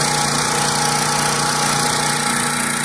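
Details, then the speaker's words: Stihl Dirt Boss 2700 psi pressure washer just started on choke: steady, even small-engine drone with the pump building and audible drag from the pump loading the engine, no misfires or knocks; normal running. "pump will build and you'll be able to hear it all right so here we go you hear that drag all right that drag is the pump"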